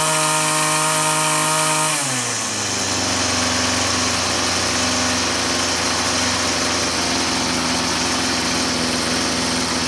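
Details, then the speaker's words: String trimmer (weed eater) running up from steady idle into a high even buzz, no stumbling or surging, after the idle mixture screw was adjusted from suspected too-rich; the single-adjustment carburetor has no high side. Properly tuned; spark plug due for replacement. "All right. I'll say that's dialed in. That's the idle side that we were adjusting, and there's no high side."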